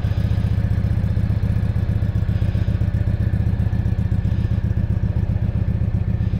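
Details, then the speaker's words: Keeway V Cruise 125 (Benda) twin, new and in its first week of running-in, cold start with the key: even, steady putter of firing pulses at a relaxed idle, no clatter or misses; normal cold idle. "Bueno amigos, vamos a hacer una arrancada en frío que os gusta tanto, con mi llave, cuchillo."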